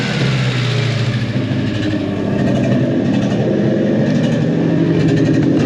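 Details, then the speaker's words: 1988 body-dropped Mazda truck running out of the box with no adjustments and a Spintech muffler, smelling rich: revving with an uneven, stumbling beat that skips; misfire, cause not confirmed. "Smells a little rich, but at least it's running. That's all I care about. Sounds like we got a misfire. Yeah, we got a misfire."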